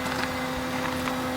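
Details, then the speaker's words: Newly bought Daihatsu Rocky, engine idling, camera by the wheel near a leaking aftermarket fuel pump that dumped fuel after washboard roads: steady high-pitched whine louder than the engine; suspected super cheap fuel pump. "do you hear that that is ridiculous it's louder than the engine itself the high pitched wine"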